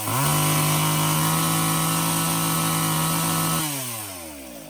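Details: Old Craftsman chainsaw after Walbro carb rebuild, new fuel lines and bar oil line, run to test chain oiling at cardboard: steady high-pitched scream at full throttle, then smooth wind-down off the trigger; oil flinging off bar; healthy running.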